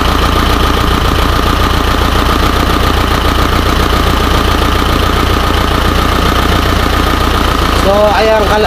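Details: Isuzu 4HJ1 diesel with low power, rough running (pamamalyo) and hard starting: loud idle with an uneven, lumpy beat of about two to three pulses a second; runs rough, cause not identified.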